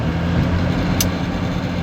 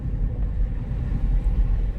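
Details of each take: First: Donor car, old diesel, first minutes of driving after pickup: smooth, even diesel hum with a steady low note, no knocks or rattles; normal healthy running. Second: Mercedes E-Class W210 3.2 CDI diesel donor car idling in neutral: deep rumble surging and sagging unevenly, hard misfiring rough idle; runs smoothly with a little throttle or in drive or reverse, cause still unknown.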